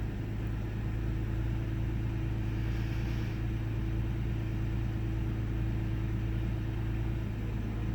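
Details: 1998 Ford Taurus SE V6 OHV, hood open, idling: low rumble with uneven beat, occasional dropped pulses, revs wavering slightly; rough misfiring idle. Earlier idle swung 400-1000 rpm without warning lights, then smoothed out; cause undiagnosed.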